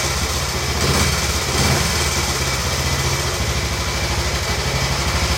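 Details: Royal Enfield Bullet 350 Classic, first start after cylinder hone, new rings, decoke, head torque, valve clearances and carb cleaning, following a partial seizure: steady even single-cylinder idle, no knocks or rattles, dislikes choke; healthy, needs slight carb tuning.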